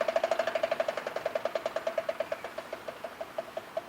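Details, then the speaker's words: Bronco rear axle with Detroit Locker, vehicle in neutral, one rear wheel spinning: crisp, evenly spaced ratcheting clicks about three per second while unlocked and freewheeling, normal locker behavior as when cornering. "drive shaft's not turning the other wheel's not turning it's just freewheeling right now okay it's unlocked going around the corner that's what it should be doing"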